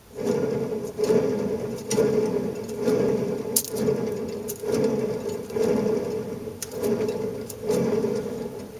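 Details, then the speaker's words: Volkswagen Beetle wheel bearing spun by hand, compared with a brand-new bearing: rough gritty grinding about once a second from the worn bearing, which was then replaced. "that's a bad wheel bearing. You can see why I wanted to replace them."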